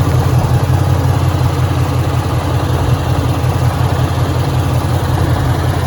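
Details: 2013 Ford Mustang GT 5.0 Coyote, manual, 81,500 miles, idling: deep steady idle with a dull, loosely regular knock about 160 per minute. Owner suspects rod knock, possibly the crankshaft, unconfirmed; started 2-3 months ago, worse after driving, car also stalls.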